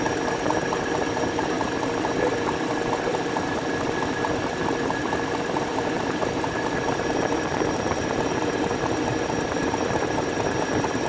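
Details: BMW N62 V8 idling warm, with complete timing set, pump, valve stem seals, pipe and vacuum pump replaced: fast light ticking with a faint knock, absent when cold. Engine ticking and knocking when warm, cause not yet found.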